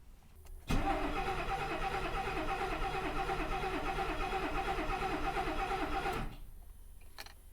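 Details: 1969 Mercedes 280SE sitting 18 years, with repaired mechanical injection pump and fuel from an external tank still filling the pump. The starter cranks about five seconds with even compression pulses, but the engine never catches; crank, no start.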